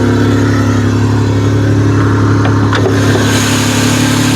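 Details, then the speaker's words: Buick LeSabre V6 that sat 3 to 4 years, just revived after getting the fuel pump working and priming the fuel rail. The first start gives a strong, steady note with no misses or knocks, and no fuel leaks. It runs normally. "boom she's a runner how do you like that nice we're not even spraying fuel everywhere"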